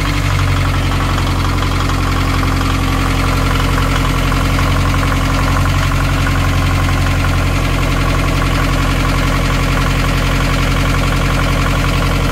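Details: Narrowboat Laura's BMC 1.5 diesel after refitting its worn injection pump: steady, even clatter at roughly 220 beats a minute with no misses or surging; normal, healthy diesel idle.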